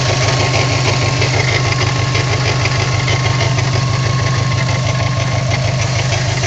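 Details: Steady idle on a 54-plate new-age Subaru WRX: regular knock/tick about three a second over the low engine drone; appears randomly, mainly in town and average-speed driving, fine when driven hard; source not pinned down.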